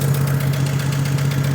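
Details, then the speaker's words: 1956 Chevrolet 235 straight six, parked since 1989, first run on carburetor fuel only: steady, even idle with a low drone and smooth regular firing, no miss, knock or smoke; runs healthy. "I got goo coming out of the fuel pump. So, it's kind trying to work. But look at that. Is that sound like smooth or what?"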